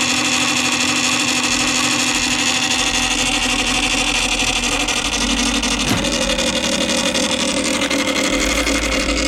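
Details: Columbia Graphophone AH (circa 1902) after a motor service in which both dry springs, with powdered grease, were cleaned and re-lubricated, running with no record: busy whirring gear chatter with a faint steady tick, running evenly. Normal old spring motor gear noise.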